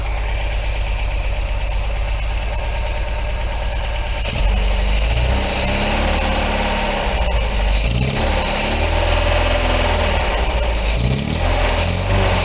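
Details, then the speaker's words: 1980 MGB engine idling after new spark plugs and tappet adjustment, not yet warmed up: uneven stumbling idle with occasional dropped beats, much better than before but still misfiring; carbs suspected badly out of balance. "hey that's a hell of a lot better folks as i said it's still misfiring but it's starting to come good now i reckon"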